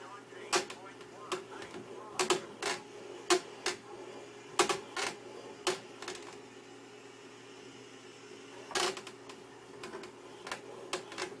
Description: Two days after I got the CSW wheel it started to make a loud "creaking" sound when turning it to the left especially when a lot of force comes to the wheel in left hand turns, it's constantly noticeable on Ovals.